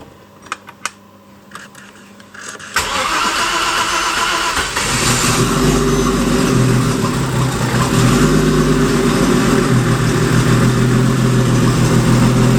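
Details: Porsche Boxster turbo engine in an Audi S4, start after rebuild and after fixing a broken, probed crank sensor wire: quiet ticking, cranks and catches at about three seconds, revs rise smoothly; starts cleanly.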